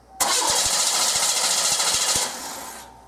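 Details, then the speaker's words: 1989 Oldsmobile 3.8L/3800 V6 with intermittent stalling: starter whirs steadily at even cranking beat for about two seconds but engine never catches; crank no-start. "okay so what you just seen is a no start it's not a stall now it is a no start"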